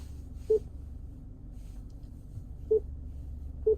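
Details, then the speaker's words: 2020 Subaru Outback touchscreen selection beep: three short clean mid-pitch beeps over a quiet cabin hum, one per touch, normal; volume is adjustable under Settings, Sound, Beep Sound Volume, down to 0. "Today I'm going to show you how to change or low adjust the beeping noises in a 2020 Subaru Outback. So when I say beeping noises, it's whenever you select something,"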